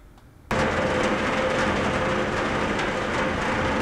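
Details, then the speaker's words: Centrifugal pump running left of best efficiency point (low flow): very low, dark rumble with steady hum, like solid rocks tumbling; suction recirculation cavitation, unlike high ticking marble-like classic cavitation. "In this video, it's a very low, dark, solid rock sound because this is another kind of cavitation."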